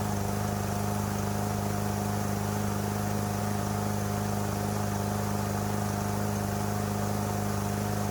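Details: Troy-Bilt TB110 mower with a Briggs & Stratton engine, repaired after sitting for months and suddenly quitting: steady, even small-engine drone at constant speed with no surging or stumbling; it runs normally.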